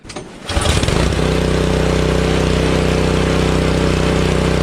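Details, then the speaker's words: After ultrasonic cleaning of its varnished carburettor, a curb-find Honda HS520 single-stage 4-stroke snowblower catches quickly, then settles into a steady, even chug while throwing snow. Normal running under load after the repair. "Amazing! This thing works great."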